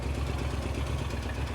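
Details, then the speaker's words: 1935 Ford coupe flathead V8 parked about 50 years, first runs at 11°F: low, soft, even burble with steady firing and no knocks, not very smoky, slight blow-by, idle turned down slow; healthy running. "it ain't even that smokey got a little bit of blow by action going on see how slow we can get it to turn oh not quite that slow"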